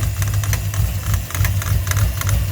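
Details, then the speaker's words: Ford 5.0 (302) with X303 cam, BBK headers, 70 mm BBK throttle body and smog pump deleted, at idle: light irregular clatter, about three per second, from a 90-inch serpentine belt that is too long (needs about 89) slapping at the idler pulley; stops when held with a screwdriver. "i'm going to put i'm going to put my screwdriver in here to keep it from flattering see that right there it no longer clatters we need a little bit shorter build"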